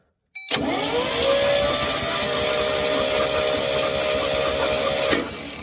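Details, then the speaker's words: 1963 International Harvester Loadstar 1800, first crank after 20+ years sitting with ATF in the cylinders, starter powered directly: spins at an even pace with steady whir and regular compression pulses; turns over freely, normal cranking. "Well, it sounds like it's cranking over fine. Sounds healthy."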